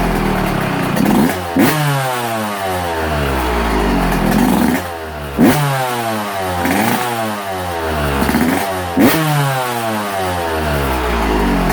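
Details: Two-stroke, first fire-up in a smoky shop: crisp blips, revs snapping up and falling back cleanly between steady idle stretches; healthy and running freely.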